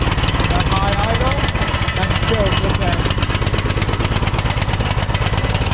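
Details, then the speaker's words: 2006 Troy-Bilt Pony lawn tractor single-cylinder after replacing a flooding carburetor with a new one, new Hyper BK5ECU plug: putters fast but unevenly, stumbling and lumpy, running a little rich and rough; the new carburetor turned out bad and didn't fix it. "Seems like she's running a little bit rich. Heat. Heat. Okay. Well, it doesn't seem like it's running very good on this carburetor."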